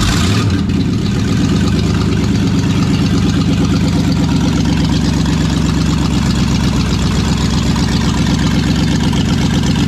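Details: Brand-new V8 in a project car, just after first fire, open stainless headers, no O2 sensors or cat-back exhaust: loud deep slightly lumpy unmuffled rumble, steady and even, no ticks or knocks; normal idle.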